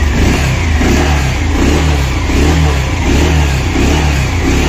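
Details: Bajaj Pulsar BS6 after repair of an earlier knocking engine sound, with the engine lowered to do the work: a smooth, even engine note that rises cleanly when revved, with no knocking or chain rattle. The repair succeeded.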